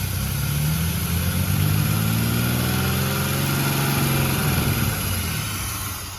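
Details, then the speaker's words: 1981 Chevrolet Camaro 3.8 litre V6 after decades of sitting, running with fuel line hookup, check engine light on, throttle return springs not reconnected; steady even V6 idle with smooth low rumble, no knocks or misses, running healthy. "The fact that it sat there and it ran is a miracle. It actually runs really good, though."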